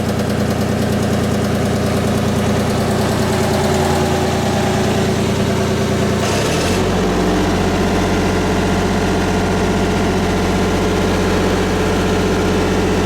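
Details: Miller 400D diesel engine-driven welder running a CV feeder (stick needed for three-phase power): steady drone shifts to a new even speed partway, then holds smooth, no knocks or misses.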